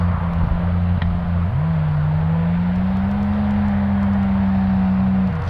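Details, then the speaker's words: Maverick X3 side-by-side making about 500 hp, bigger turbo and steel-valve head, on a launch run; engine drones and climbs in pitch but sounds flat with no boost building; wastegate actuator arm came off and hangs open. "she's not happy she's not happy rich we got work to do"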